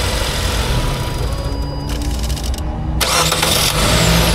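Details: Car starter after Bendix drive replacement, tested in neutral: starter spins cleanly and engine catches in about three seconds with no metallic scraping; normal starter engagement and start, earlier scraping had marked the flywheel ring gear.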